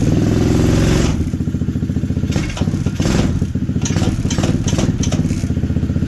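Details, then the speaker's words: T-Rex go-kart small engine after a crash, running on year-old gas: sags after a burst of revs, then chugs unevenly and hesitates, poor throttle response; suspected low on fuel or running lean, needs richening, unconfirmed. "Sounds like it's about out of gas here. It's got year-old gas in it. See, the throttle response is not there."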